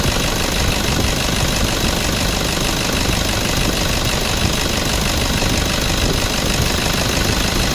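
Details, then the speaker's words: Toyota Vigo idling with AC compressor engaged after evaporator, dryer and valve replacement plus compressor oil change and bearing replacement, refrigerant recharged: steady, no grinding, rattle or bearing growl; compressor sounds normal, AC cycling normally. "คำรามงามๆปกตินะครับเติมน้ำยาแอร์แต่ระบบนะครับ"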